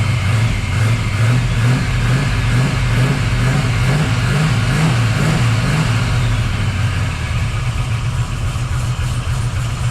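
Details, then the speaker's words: 1979 Camaro Z28 V8 after replacing the Pete Jackson gear drive with an Edelbrock Performer double-roller timing chain, new balancer and water pump; hadn't run in days, running rich (AFR 12.7–12.9), carburetor needs tuning. Deep, steady burble, no gear whine. Normal idle. "I know it probably sounds loud but that is super quiet cuz you don't hear that Gear Drive"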